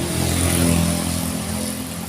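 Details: Carbureted Honda Spacy scooter that is hard to start in the morning or after sitting an hour or two, started after repair: catches easily and runs smooth and even, revving up and settling without stumbling; normal running.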